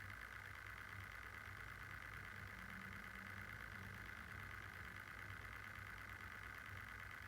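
A steady high whine sits over a soft low hum and does not change; the fan sounds rough even at idle, cause unclear.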